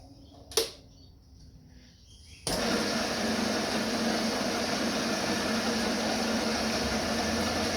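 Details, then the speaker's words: Home workshop lathe spun up after alignment work, running without high-impact grease: quiet shop, then a steady, even whir with no rhythmic thump or wobble. The work runs true, though it is getting hot for lack of grease. "can you see that no wobbly gooks nothing"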